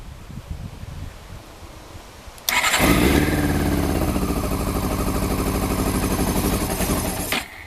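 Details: Motorcycle with exhaust can slid on, fuel pump not connected, petrol poured down the pipe: it cranks, catches suddenly and runs ragged with uneven firing about five seconds before dying; fuel starvation.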